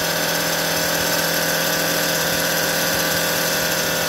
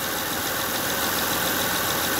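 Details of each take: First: 2005 Honda Odyssey at idle, fluid level fine and no leak: big, steady moaning whine over the engine from a failing power steering pump, worse when steering left or right; fixed by replacing the pump. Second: 2005 Honda Odyssey after replacing failing power steering pump that caused under-hood whining: steady even idle with no whine, running smooth; normal.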